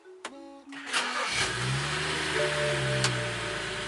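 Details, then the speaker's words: BMW E92/E93 N55 just after JB4 tuner install, on map one: brief starter crank, engine catches and flares, then drops to an idle that wavers slightly instead of settling smooth; owner notes a bit of rough idle. "does that sound healthier orders a bit of rough idle"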